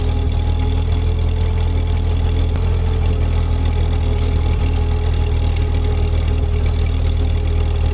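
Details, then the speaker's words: Ford 8N tractor, transmission locked in low gear, clearing snow under load: low steady engine drone holding even speed, no knocks, grinding or gear whine; gears sound good, normal running under load. "again the tractor is doing exactly what it's supposed to do gears sound good"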